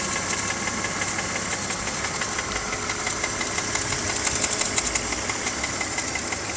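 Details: BMW E46 325ci with M54 engine, warm at idle: fast, even light ticking, about three a second, over a smooth idle at the front of the engine. The tick occurs only at idle.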